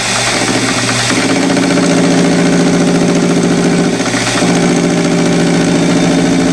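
Steady buzzing vibration during the cut, rough and continuous over the motor hum; chatter while turning, likely from tool overhang.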